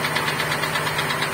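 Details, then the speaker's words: GAZelle 2775 brought in towed with a snapped timing chain; after replacing chain, pump, pulley, crank seal and gaskets it runs with fast regular metallic ticking and clatter over a rough idle. Timing side fine, compression 8–10 atm, source unclear. "Сейчас очевидно, что в двигателе после того, как мы его завели, присутствуют посторонние звуки."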